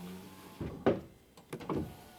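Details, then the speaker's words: Dodge/Mercedes Sprinter driver power window after replacing the master window switch, which previously needed hard pressing: short, smooth motor whirrs as the window runs down and up on one touch, without hesitation or strain. "now i go up the window is going up and when i go down i just touch it once right there remember before i had to like press really hard on it"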